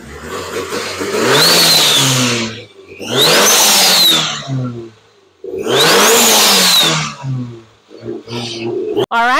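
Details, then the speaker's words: Rebuilt 600hp Nissan SR20DET: three clean throttle blips rising and falling smoothly with crisp turbo whistle, no stumble; fuel trim near 2500 rpm still needs adjustment, number one cam oil tube issue noted. "well that sounds amazing Derek"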